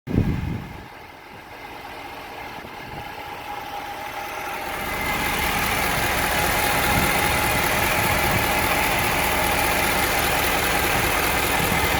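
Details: 2016 Ford 6.7 Powerstroke diesel truck, 20,000 miles, runs fine: at idle a steady high whine rides over the even diesel clatter; owner never noticed it before and source is unknown.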